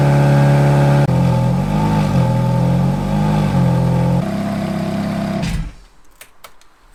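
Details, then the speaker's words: V8 supercar on winter lay-up, warmed up about 8–9 minutes at varied revs until temperatures normal: deep burble held at varied revs, rising and settling evenly with no knocks or misfires, then shut off; healthy warm engine. "We need to start it up and use various different levels of RPM to keep things as they should be."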